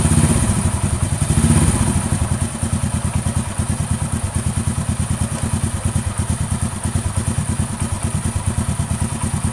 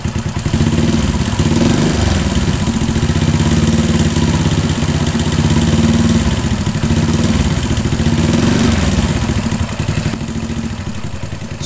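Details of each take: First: Honda Astrea Grand motorcycle idling after valve clearance readjustment (rough rhythmic noise was from too-loose valve clearance, not cam chain): steady even putter, no tapping from the head; normal smooth idle restored. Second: Honda Astrea Grand single idling with a rough, rhythmic ticking over the exhaust beat. Cause is valve clearance set too loose, not the cam chain.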